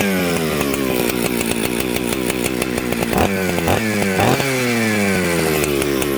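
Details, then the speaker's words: Mixmaster chainsaw built from Jonsered 630 Super and Husqvarna 266 parts, just started on choke: fires unevenly and burbles coming off idle instead of cleaning up; smoky and rich, fixed by turning the low jet in. "so you hear how smoky it had a little bit of a bumble off idle so what i did was i turned the low jet in the low jet is usually the one closest to the cylinder"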